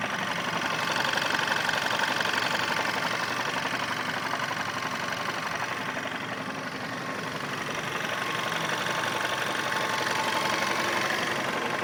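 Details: VW Scirocco 1.4 TSI, 100,000 km, original clutch, hot engine started without clutch pressed: soft regular helicopter-like knock from right side at idle, rises in frequency then disappears with revs, gone when cold; owner suspects clutch or flywheel.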